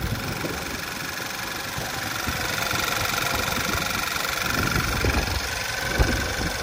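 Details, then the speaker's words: 2011 Volkswagen Tiguan after engine installation, before test drive: quiet, even idle hum with no ticking or knocking; normal idle, no leaks. "it's still purring pretty sure this is idle already and she's nice and quiet no knocking no nothing like that"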